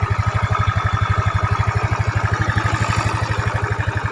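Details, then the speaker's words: Yamaha Mio scooter after fixing noisy rough engine with Honda-equivalent timing chain (90 links) and valve adjustment: smooth idle, even low thump about four beats a second, no rattle; slight hiss as chain tensioner cover not yet fitted. "di sini suaranya sangat pelan sehingga Anda benar-benar bisa mendengar suara motornya."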